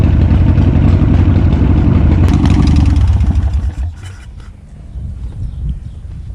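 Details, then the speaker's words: 1984 Harley-Davidson with hopped-up engine, newly replaced fuel line, freshly revived: loud, uneven V-twin pulses about four a second that stumble and fade; engine missing and hesitating, cause not confirmed. "It's still sitting. It's a missing. That's That's why I want to jump on it. There's a little bit of a hesitation."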